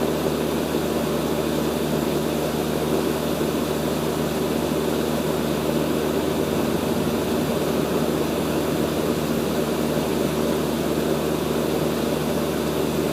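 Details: Rheem Imperial 80 Plus air conditioner condenser at startup, recorded with an iPad placed on the line set while a nearby Bryant unit also runs; steady fan rush over smooth compressor hum, no knocks, rattles or squeal; normal compressor run.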